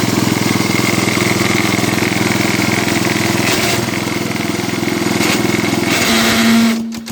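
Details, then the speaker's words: Cub Cadet 86 small tractor engine idles with a steady thump, broken twice by random rough, rattly bursts, then a short tone and shutdown; cause unknown, and the head gasket also leaks some exhaust. "well so far I can't figure out what that crazy sound is just been kind of happening randomly"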